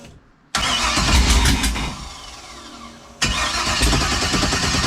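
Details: Freshly built LS 383 in a car called Deathwish, first fire on break-in oil: two long bursts of fast, even cranking that never catch; it seems to be getting fuel.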